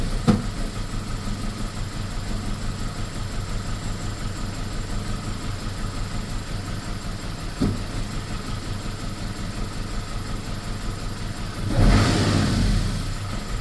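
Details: BMW E46 318 petrol engine idling low and uneven, the beat stumbling now and then instead of staying steady; rough idle with intermittent misfires, cause not confirmed.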